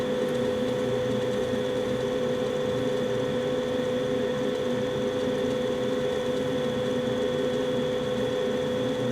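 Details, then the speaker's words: 2016 Carrier furnace, five years old with no issues: startup gives a constant, even hum and airflow rush with no rattles or squeals. The furnace runs normally. "sounds like everything's running great and if you remember on this furnace and also the one in the basement and uh i believe last year i raised the blower speed from medium low to medium high for heat load"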